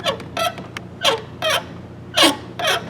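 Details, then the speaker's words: 1998 Chevy GMT-400 truck door: sharp high-pitched squeaks about every half second as the door swings, from a dry door hinge bushing; fixed by spraying lubricant on bushing and hinge pins while working the door. "I don't know if y'all can hear that squeak, but I'm gonna fix that too. So y'all, if y'all want to get a close look, this is what makes this noise over here. This little bushing"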